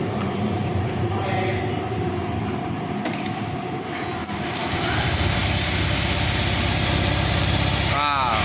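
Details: Honda Vario 125 with rough noise and oil not reaching the cylinder head, after teardown of a dirty engine: catches and settles into a smooth, even idle, oil now flowing fast to the head; normal idle.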